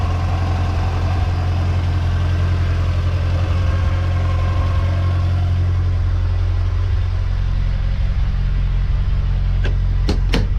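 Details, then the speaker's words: Austin Allegro petrol engine idling smoothly with a steady, even beat after fitting new HT leads; before, a sparking king lead caused misfiring, juddering and audible spark ticking. "that's better she's running smooth see with the spark coming off of that ht lead she was almost sort of misfiring sort of juddering and you could hear the spark ticking so that is a relief to hear a nice smooth happy peggy"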